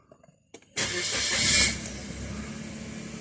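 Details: 2014 Suzuki Alto started with a newly programmed transponder key after an all-keys-lost job: a short crank catches at once and settles into a steady, even idle with no stumble. A clean, normal start.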